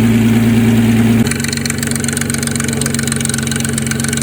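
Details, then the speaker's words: 2004 Nissan Maxima idling after a battery boost to start, stalling and fast-idle issue: fast, fairly even metallic rattle about four per second over the idle; owner thinks it needs a timing chain, idle settling near 900 rpm. Timing chain rattle. "she's still rattling a little i think she needs a timing chain man you don't sound good"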